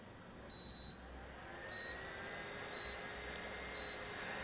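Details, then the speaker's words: Modena portable induction cooktop switched on with no pan on the heating zone: four high beeps about a second apart repeat steadily with an error code until the unit is turned off; normal no-pan safety warning. "ini adalah salah satu pengaman ya teman-teman dari Modena di mana dia pada saat tidak ada apapun di bagian pemanasnya ini ya terutama Panci atau penggorengan gitu dia akan mengeluarkan kode error di sini teman-teman dan akan terdengar bunyi bip sampai kita mematikan alat ini"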